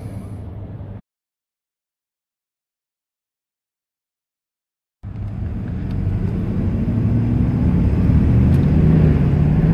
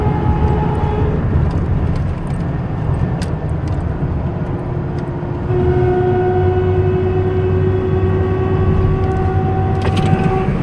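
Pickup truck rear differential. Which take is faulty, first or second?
second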